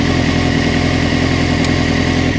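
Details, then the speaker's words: Honda CBR900RR Fireblade with intermittent hot-start problem, just fitted Blackbird rear light, idling: steady sharp constant clicking not following revs, seeming to come from the fuel cut-off relay; owner unsure if it is a fault. "it's a kind of loud click, and it goes constantly, like click, click, click, and it seems to be coming from the fuel cut-off relay."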